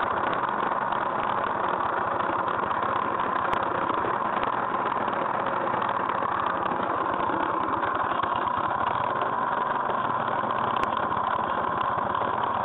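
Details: GY6 scooter engine at idle with a busy, rattly mechanical chatter riding on the idle; something is noisy inside but the cause is not pinned down.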